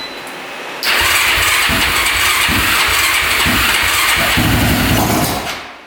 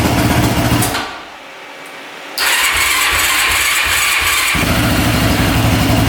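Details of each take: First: Newly traded ATV jump-started on a dead battery with choke on: catches, revs with uneven, lumpy pulses and dies after about five seconds. Very hard starting and rough running. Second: Mostly stock Honda ATV started after fitting a replacement spark plug boot: catches after a short pause and settles to a steady, even idle with no ticking; sounds much better, lights working.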